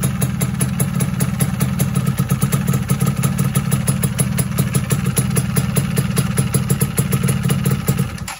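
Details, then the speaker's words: Rebuilt two-stroke engine with 200-gram balancer weight fitted runs a fast, even idle with a steady rapid beat and no knocks or rattles, then shuts off; engine judged healthy before clutch installation. "Oke, aman aja kan, nggak ada suara-suara aneh."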